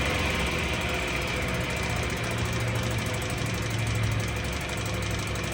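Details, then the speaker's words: 1966 Mercury 3.9 hp single-cylinder two-stroke outboard in a test barrel, about 30 degrees, likely unrun for a couple of weeks, fresh gear lube, pumping good water; steady even idle, no misses or knocks, idles down great. "Just gotta love old Mercs. Second bowl, 30 degrees, and idles down great."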